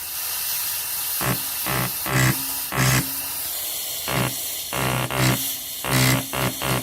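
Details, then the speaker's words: Sound Performance T-3 QSV on a bench test with Hobbs switch and pilot valve: constant air hiss broken by irregular bursts of rapid buzzing chatter; valve behaves fine until power is applied, cause not yet identified. "that valve behaves fine until we put power on"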